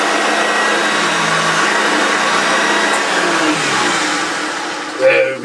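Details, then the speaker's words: Early Hoover Junior 1436 Mk1 upright vacuum with a loose belt, on deep pile carpet: steady high motor whine that sags and dips in pitch as the brush drags, motor labouring; cause suspected, not confirmed. "I'm smelling stop it on this deep pile carpet it's just a be inevitable at every struggle"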